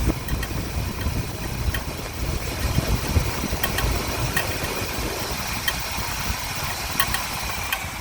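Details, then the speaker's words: 1975 Corvette V8 at idle, heard through a wooden stick placed between the fan belts against the timing marker; fast light ticking steady with engine speed that worsens as it warms. Owner suspects a stretched timing chain, unconfirmed until the cover comes off: engine ticking. "see I can hear it ticking Through the Wood I'm gonna carefully bring this out anyway it gets worse as it warms up so we're gonna have to probably end up pulling that timing chains up here"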